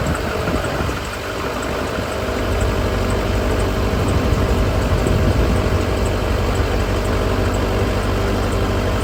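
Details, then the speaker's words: Duramax LB7 diesel after new injectors replaced a set where about half failed testing: steady even idle, low rumble, no misses or knocks; previously injectors rattled badly. "that sounds a million times right before I changed these out the injectors were rattling so bad"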